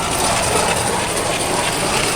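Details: Toyota Tacoma in 4WD: rapid, dense ratcheting and grinding chatter. The owner first suspected the driveshaft double cardan joint, but the noise stayed with the shaft pulled and in gear, so it seems to come from the transfer case output end. Transfer case ratcheting suspected.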